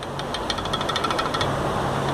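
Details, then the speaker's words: Removed front shock absorber from a Ford Ka with 44,000 km, shaken by hand, giving a fast, loose metallic clacking from play in the shock rod; noise from the front right suspension. "Esse aqui, o balanço, e só na mão, não precisa nem prender na prensa, e ele já faz o barulho. É impressionante como esses carros dão problema na folga da canela do amortecedor."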